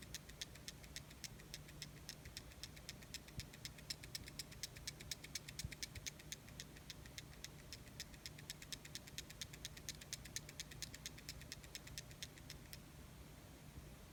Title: GoPro Hero 5 Black Rattling Noise